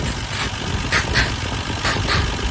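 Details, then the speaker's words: 1966 Dodge Dart GT with 225 Slant Six at idle after fixing the exhaust manifold leak: even low rumble with soft regular pulses and no puffing or ticking; much quieter, no gases escaping, leak appears solved. "I can tell you it's much quieter."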